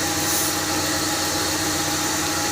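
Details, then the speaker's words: Car engine at idle: steady high hiss with a thin constant whistle over a smooth idle, traced by listening with a stethoscope or hose; source suspected among the alternator belt, pulleys or release bearing, not pinned down. "не знаю слышно на видео или нет но слышно отчетливый фиск двигателя как его найти и"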